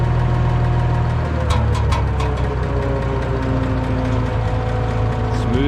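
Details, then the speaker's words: Cold IH 1026 tractor engine running smooth after tie rod and front end work, muffler sounding good; steady, even low thrum with no knocks or misses. Normal running. "still cold but she's running good steering seems good after I did the tie rods and did the front end think the muffler sounds good this thing runs smooth as can be"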